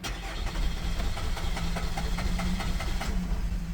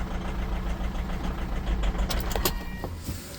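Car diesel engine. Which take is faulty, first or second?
first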